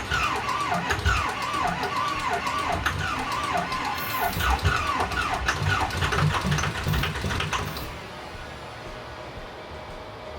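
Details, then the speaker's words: Diesel bought used, told it ran well, cranking with ether sprayed: steady cranking beat, briefly catching but never firing up, then quiet; turbo also appears badly damaged, engine likely needs teardown. "Yeah. I think I think Matt burned us on this one. He told me it was good running."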